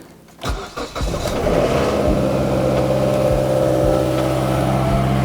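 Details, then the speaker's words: Mazda CX-7 after a snapped belt caused by a seized A/C pulley and replacement of the A/C compressor, started with A/C off and clutch disengaged: brief crank, then a steady, even idle with no belt squeal or pulley rumble. Normal idle. "Nice and quiet now. See how the clutch isn't engaged down there?"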